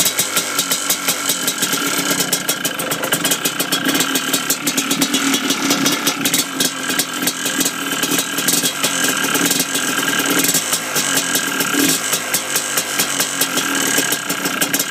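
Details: Yamaha Blaster two-stroke at idle: busy note with a rattly, fast ticking clatter over it; owner suspects piston slap, not confirmed.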